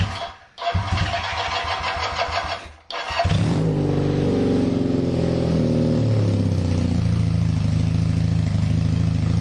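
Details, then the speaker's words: Kawasaki KZ440 single-carb bike, idle issues: runs on choke, then catches, stumbles and cuts out twice with choke off before settling; owner suspects clogged pilot jet, carb to be dismantled and cleaned. "this is running on choke [Applause] and that's what happens when we have no choke and she was running so good"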